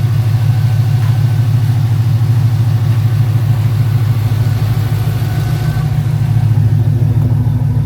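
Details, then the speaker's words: Pontiac GTO project car V8, first run, idling at 870 rpm with 45 psi oil pressure; deep, even rumble with no ticks, knocks or misfires. Engine sounds healthy at normal idle. "Yeah. The engine sounds good. Dude, it sounds very good. Sounds healthy."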